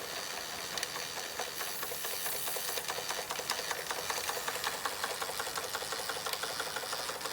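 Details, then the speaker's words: Fleischmann 135/2 toy steam engine running after repairs, burner sorted and speed steadied with regulating valve: fast even light chuffing tick with faint hiss, no knocks or stumbles, likened to a jake brake; normal running. "Oh, sounds like a jake brake, doesn't it?"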